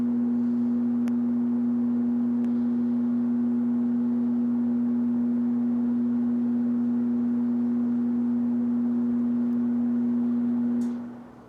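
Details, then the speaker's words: 1969 Sears (Vernco) box fan, 3.7 A 1/12 HP motor, not oiled: pure steady low hum on low speed like a ringing bowl, fading out at switch-off; odd electrical resonant hum on low. "something that I noticed is it's very strange the resident humming on low there's a very slight like Fade Out of the sound when powering off the fan"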